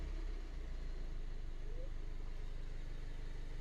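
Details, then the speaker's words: 2007 Mini Cooper S R56 that had low fuel pressure, rough idle and P0190, now idling warm with a low, steady, even pulse after the fuel rail pressure sensor was replaced; oil pressure still a little low. Normal idle. "now it's idling great. Look at that. Idles like a charm now."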